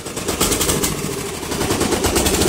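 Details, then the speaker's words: Murray Select 12.5hp 40-inch lawn tractor running out of gas: uneven, choppy running with irregular popping and surging as the engine starves. Fuel starvation sputter. "When it runs out of gas, this is what it sounds like."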